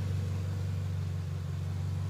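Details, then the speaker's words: Honda hatchback engine after valve seals, timing belt, cam/crank oil seals, bearings and corrected exhaust rocker arm, no thermostat; low steady idle with no valve-train ticking, previously very noisy valves. Normal idle. "Ayun yung tunog niya ngayon. Samantalang yung dati niyan, napakaingay yung barbulan"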